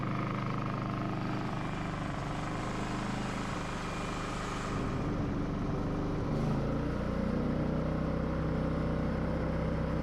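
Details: Firman W3300i inverter generator after new ignition coil, pull rope, fuel clamps, cleaned carburetor, repaired wires and reconnected inverter module: steady running, speed steps up smoothly under inverter control, no surging, misfire or rattle.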